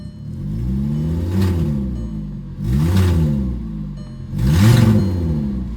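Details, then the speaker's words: Audi A4 being considered for purchase, three throttle blips: a harsh, blatty roar rising and falling in pitch. The noise seems to come from up on the engine, and the buyer fears a hole in the engine. "it make me feel like there's a hole in an engine somewhere so I'm I think I'mma pass on it"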